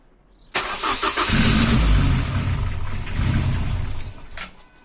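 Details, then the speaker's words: Engine's first start attempt after base timing was set with a scope. It cranks, catches and runs roughly for about three seconds, then fades out. It fires briefly then dies, probably needing fuel. "well very briefly sounds like it probably needs some fuel but that is a good start so let's quickly get on the fuel"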